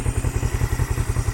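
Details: 1975 Honda CL360 Scrambler twin idling, warm after a test drive through all six gears: even, deep low thumping at about nine pulses a second, steady and unbroken; a healthy clean idle.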